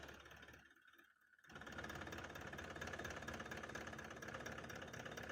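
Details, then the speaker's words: 2018 Toyota Land Cruiser pickup, 1VD 4.5 diesel, idling: uneven stumbling knock about three a second, one cylinder misfiring from a leaking injector; lacks pickup and knocks until fixed and codes cleared. "जिस time code clear ना होगा तो ये गाड़ी इसी तरह missing करेगा। Race नहीं लेगा।"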